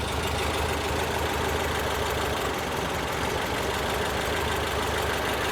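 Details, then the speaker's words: 1968 VW Type 3 with freshly installed 1835cc air-cooled engine, just started and smoking as oil burns off: steady, slightly slow, lumpy idle with an even beat and no knocks; idle speed a little low, owner may give it a small idle adjustment. "Might just give it a little bit of uh idle adjustment. It's spot on, but a little low."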